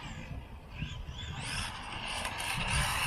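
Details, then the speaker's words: Tamiya TA02 Opel Calibra RC car, driven in a parking lot: on throttle a gritty whirring whine rises with speed over rolling noise. The loud stock center driveshaft is one of the noisiest, and the owner plans to replace it. "la seule chose que j'aime pas c'est le bruit quand je me suis un gaz c'est le bruit de l'arbre de transmission là centrale c'est une des plus fort là-dessus d'origine que je le change"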